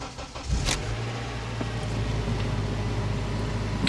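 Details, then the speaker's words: Honda Accord with 284,989 miles and a broken CV axle, at a Copart auction lot: brief crank, then it settles straight into a smooth, even idle with a steady low hum. ABS, maintenance and check engine lights are on. Normal start and idle. "it runs great that's a Honda for you it runs great"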